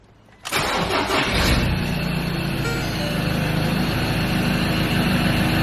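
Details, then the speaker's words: Ford Ranger T6 2.2/3.2 diesel after replacing the failed electronic turbo actuator (P2598, limp mode): quick crank catches in under a second, then a steady even idle with no misses or knocks; no error codes, full power. "Look at that, perfect."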